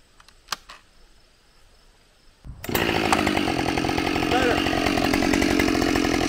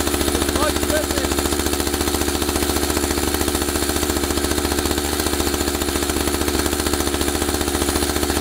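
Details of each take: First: Husqvarna 572XP autotune chainsaw after the autotune procedure, now idling without chain creep: it snaps to a high, steady full-throttle scream that holds strong in the cut. It runs clean and healthy and feels more responsive. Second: Husqvarna 572XP AutoTune two-stroke chainsaw; idle speed deliberately raised until the clutch carries the chain around, then brought back; fast, even idle with steady firing pulses; idle set too high, clutch engaging.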